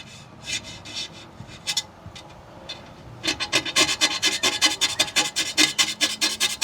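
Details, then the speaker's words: Razor blade on a Silver Strike arcade cabinet's monitor glass after Goo Gone. Light quiet strokes on clean glass turn into loud rough rasping scrapes about twice a second at stubborn residue mid-glass, which still would not come off. "I've never seen anything that can withstand a razor gooby gone and it's still scraping. It's still there. Oh, that sounds terrible."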